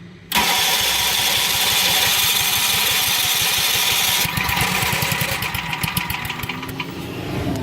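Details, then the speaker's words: RV onboard generator that has not run in a long time, choke in: steady cranking at about three turns a second for several seconds without catching. "All right, so this thing has definitely not been ran in quite a long time."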